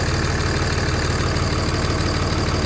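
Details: Cummins diesel running at steady idle after a no-start fix, battery terminals replaced on both sides: steady, even diesel clatter with a firm low rumble, no misses or stumbles; normal healthy diesel idle.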